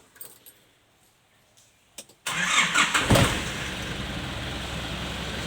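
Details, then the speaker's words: Nissan Big M pickup with its original engine, never opened up, recorded in the engine bay: a brief crank catches quickly and settles into a steady, even idle with no knocks or misses; it starts easily. "เครื่องติดง่ายครับช่วงนี้"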